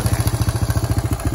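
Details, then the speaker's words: Old Yamaha YTM200 three-wheeler running on an aftermarket Amazon carburetor that wouldn't run right: rapid regular ticking, about twelve per second, over a low idle thump, keeping pace with the engine; tick's source unknown. "okay so we got it running again you can hear the tick it's still there so i don't know why that's there"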